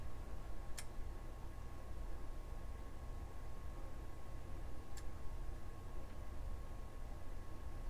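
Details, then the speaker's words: Known-good relay on the bench from a Parasound A23+ power amplifier repair: 12 volts applied to the coil gives two crisp clicks as it pulls in and the contacts reverse cleanly, normal relay operation for comparison. "When I apply 12 volts to the coil, these conditions should reverse. So let's watch that happen. You'll hear the click as I apply 12"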